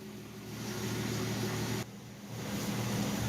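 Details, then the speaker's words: 1967 Ford Mustang running on new American Autowire harness, ignition and neutral safety switch confirmed good: steady even low rumble at idle, no misses, knocks or ticks; healthy, some electrics unresolved, possibly grounding. "she's running it means the ignition part is all good it's the neutral safety switch is all good so yay i'm happy to get her purring again so very cool"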